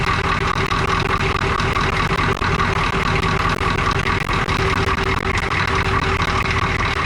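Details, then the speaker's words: International S1654 truck just started after a new starter, oil cooler rebuild and new radiator, with a cracked exhaust manifold: the engine runs steadily with a faint regular chirp over a strong low rumble; it starts quickly and runs fine. "can you believe how quick that started wow that's impressive compared to what it used to be"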